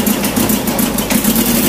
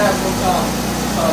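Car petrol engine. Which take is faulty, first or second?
first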